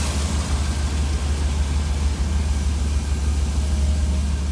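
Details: 1966 Cadillac V8 with Holley Sniper fuel-injected throttle body, IAC unplugged so the ECU isn't controlling it: even, low rumbling rock-solid idle with no rise and fall, unlike the hunting idle with IAC connected.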